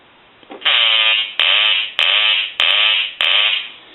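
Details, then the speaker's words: Hand-painted wooden duck novelty telephone whose quack ringer had not been sounding, now rung after repair; five loud buzzy quacks about every 0.6 seconds, each fading out, quacker working on every ring cycle. "a note that John had sent in where he didn't have the quacking sound and so what we're going to do here is we're going to ring the duck"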